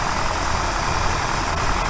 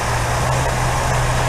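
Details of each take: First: 1964 Buick Riviera V8 after the distributor dwell was adjusted from about 40 to 34 (spec 30) with an Allen wrench: a steady, even idle with a firm low rumble and no stumbles. The idle picked way up. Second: 1964 Buick Riviera V8, just started on primed chainsaw gas, before tuning: a loud, uneven idle with a lumpy low drone and faint irregular misses. Rough idle because points dwell is about 40 against a spec of 30.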